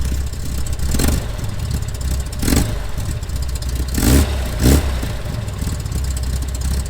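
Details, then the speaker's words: Corvair flat-six, still cold: throttle blips rise unevenly and stumble, something not firing correctly. The valves are to be rechecked for a quarter-turn adjustment. "You can hear that it kind of stumbles a little bit as it goes on. So, something is not quite firing correctly."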